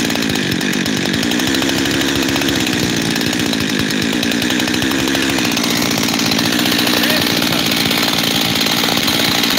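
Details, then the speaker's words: Freshly rebuilt Husqvarna 372 XTorq chainsaw with new bearings: idle rises and sags, never settling at one speed, then holds steadier, two idles; owner suspects a leaking transfer cover gasket, unconfirmed, and plans to remove and reseal it. "I don't know for sure, but I really hope I'm right and it's the transfer cover, because I've got two idles here."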